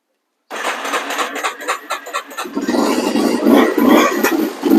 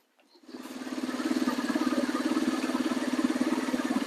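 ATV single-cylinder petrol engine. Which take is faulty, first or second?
first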